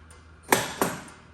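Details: Gottlieb Spirit pinball machine during restoration, first power-up, coil test: two crisp solid clacks about a third of a second apart in a quiet room, coils firing cleanly and strongly; normal solenoid coil firing.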